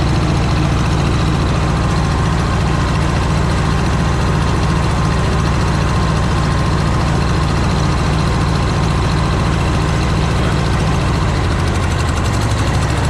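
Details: Cub Low Boy 154 tractor after spark plug change: loud low engine note with a loping, irregular skip instead of an even beat; misfire because the two front plug wires were swapped; runs well once corrected.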